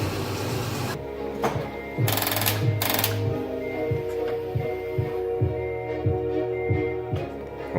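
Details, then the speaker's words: Car that died on the road, possible bad grounds (makeshift grounds added): repeated single dull clicks about twice a second with no cranking; starter clicking, no crank, cause not found after checking grounds. "Well, now we're having problems with the starter. It's just clicking."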